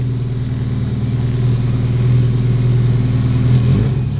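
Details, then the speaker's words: Turbo Honda Civic after new spark plugs, fuel lines, fuel pump and fuel rail, just started: uneven lumpy rumble that wavers and dips, only kept alive by holding throttle; rough idle, won't idle on its own. "It was staying like it wouldn't stay on. I'll have to be on it for me to keep it idling."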